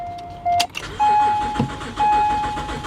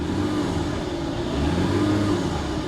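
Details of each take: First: Car at Copart with 73,000 miles and little fuel: the starter churns steadily for several seconds under a repeating chime, but the engine never catches; long crank, no start, rotten gas suspected. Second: BMW 325ci salvage car started in standing water with the tank nearly empty; smooth, even engine note rising cleanly with throttle blips and dropping back without stumbling; runs well and sounds healthy.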